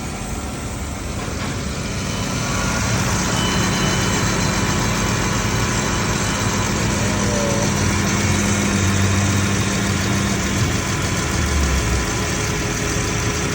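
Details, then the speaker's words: 2018 Dodge Grand Caravan 3.6 after oil cooler replacement, idling to warm up and bleed coolant: steady, even idle with quiet belt hum and no knocks, misses or squeals; normal idle. "Alright, we're gonna let this idle until it's warmed up."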